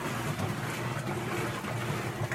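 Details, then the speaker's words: Electrolux 12 kg top-load washer after replacing a small broken part that caused loud noise during agitation, extra-low water level: smooth, even low churning with no clicks, bangs or ratcheting. Normal agitation after repair. "ela já vai agitar a roupa a gente já consegue perceber se que o deu certo não olha que beleza resolvido o problema"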